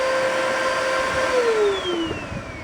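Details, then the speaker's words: Bissell Powerforce bagless vacuum run with the main filter removed for testing; steady high whine sagging in pitch, airflow choked, still weak suction; owner suspects plugged hose. Blocked air path. "Still not much suction. The hose must be plugged."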